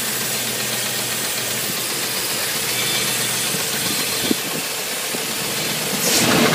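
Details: 1987 Chevy 350 TBI V8, knock reported under load: steady idle with a dull, uneven tapping in a hissy background; engine knock, cause unknown.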